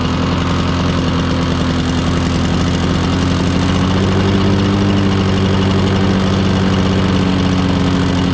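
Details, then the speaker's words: Old Lawn-Boy 10550 two-stroke push mower, auction buy, first run: steady fairly low drone never reaching full RPM though throttle travel is full; owner suspects dirty plastic carburetor or unknown adjustment screws. "Anyway, it didn't seem like it was getting up to full RPM, but I checked."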